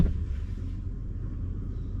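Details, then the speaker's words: Sprinter camper diesel heater, first start after re-plumbing from separate red diesel tank into main fuel tank, expected to need priming; steady low rumble, no misfire or sputter; heater lit, normal running. "But it's working. It's fired up. I can hear it rumbling."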